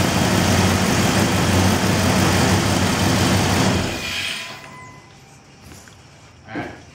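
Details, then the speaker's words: Gasoline 360 V8, rebuilt, under 10,000 miles, with performance options, being pulled because the transmission is blown; steady even idle with a smooth low rumble for about four seconds, then fading: normal idle. "but the engine's fine we're gonna hear it run oh rebuild less than 10 000 miles"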